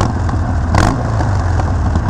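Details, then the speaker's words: Harley-Davidson Iron 1200 with Vance & Hines slip-on exhaust, at startup with a throttle blip: a deep, even V-twin rumble with no knocks or rattles. The engine sounds healthy. "that sounds amazing that sounds so rowdy it's so deep"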